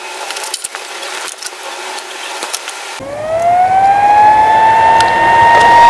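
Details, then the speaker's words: 200 W pure sine portable inverter running from a 12 V car battery: once switched on, a whining tone climbs and settles high and steady; the rear cooling fan is very loud, a drawback indoors. "এটা যতক্ষণ ঘরে চলবে ততক্ষণ কিন্তু এই আওয়াজটা চলতে থাকবে। আপনারা আওয়াজটা নিশ্চয়ই শুনতে পাচ্ছেন। আসলে এর পেছনে ঠান্ডা করার জন্য একটা পাখা লাগানো আছে।"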